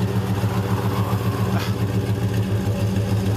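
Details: Dodge Durango just topped up with 4.5 liters of oil and a gallon of radiator water; even, low burbling idle pulsing about three and a half beats per second, no ticks or misses; engine sounds healthy.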